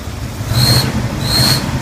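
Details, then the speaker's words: 1981 Turbo Trans Am, cold start, rough idle with the engine jumping: two short high squeaks over a low rumble on each throttle blip, believed to come from the air management valve, which is unplugged next to check. "I'm going to give it some gas. You'll be able to hear the squeaking coming from the air management valve."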